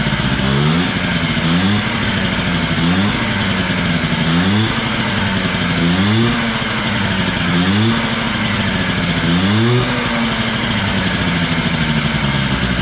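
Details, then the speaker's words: Honda Spree 50cc two-stroke scooter starts easily and is blipped about every second and a half, revs rising and falling freely; compression reads low, owner suspects blown motor, premix added to tank; loss of power under load. "Starts and runs. It just, like I said, has no giddy up and go."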